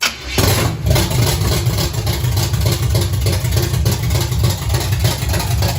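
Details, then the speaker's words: 1969 Chevy C20/C10 pickup V8 on its first start after an Alloyworks radiator install, running straight headers with timing not set: it cranks, catches and settles into a loud, uneven, lumpy idle; runs rough, likely from the untimed ignition. "Now this is kind of the first time I could actually start the car, so I couldn't help myself. Straight headers, not timed, whatever."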